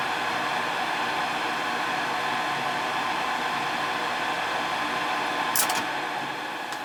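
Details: Ruud gas furnace in heat mode that runs but won't fire up: steady airy inducer fan hum, vacuum switch pulling in, no burner whoosh ever follows; tech suspects board or gas valve.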